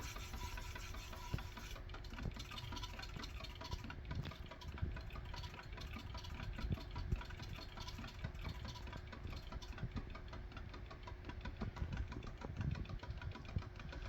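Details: DIY pulse motor with 3D-printed 13-slot magnet rotor and three coils: steady hum with quick, even pulsing and a few light knocks as a hand loads it to feel torque; running normally.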